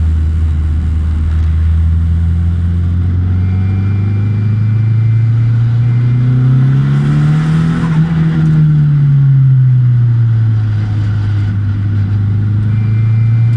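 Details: Nissan 200SX S14: the engine drones low and steady, swelling as revs climb then easing back, with a faint thin whine over the top; source of the whine unclear.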